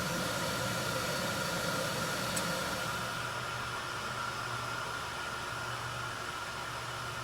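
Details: 1974 HydroTherm gas-fired hydronic boiler, first firing of the season: steady even burner roar with a faint hum, no rumble or popping, until the hydrostat shuts it off near 200; firing normally.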